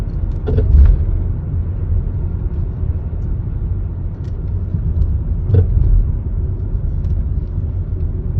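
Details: Volvo V70 driving over bumps: low road rumble with sharp clunks, front end clattering; strut top mount (Domlager) rattle, being replaced though cause not confirmed.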